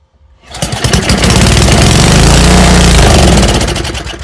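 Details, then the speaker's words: Old Toro snowblower that sat over a year, first start attempt after turning fuel back on with the carburetor dripping: engine catches with rapid popping, builds briefly, then dies; owner suspects it's flooded, pouring fuel out. "It acted like it wanted to run there for a second, didn't it?"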